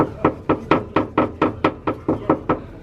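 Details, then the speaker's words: Turbocharged Mk1 Mazda MX-5 after a trackday: sharp hollow clunks about twice a second as the exhaust is shaken, the pipe striking bodywork, owner suspects play from worn exhaust rubbers; exhaust knocking against body. "so next up is hopefully curing the knocking noise that you would have heard on the track day now I think it's because they play in the exhaust just have a listen to this"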